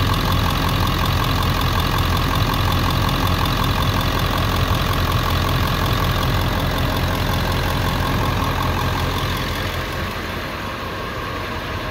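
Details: 1999 Ford 7.3L Powerstroke diesel pickup logging P1280 at startup, ICP sensor unplugged: steady but slightly uneven idle as the PCM holds about 750 rpm using only the IPR valve; service engine soon light comes on.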